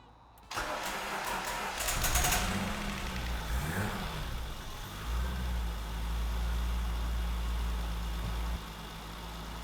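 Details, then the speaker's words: 1993 Land Rover Defender 90, 2.5 L turbo diesel, after valve clearances adjusted with feeler gauge: starter cranks briefly, engine catches with a couple of blips, settles into smooth even idle with no top-end ticking; tick gone. "I think our tick is gone. Oh yeah! So much smoother."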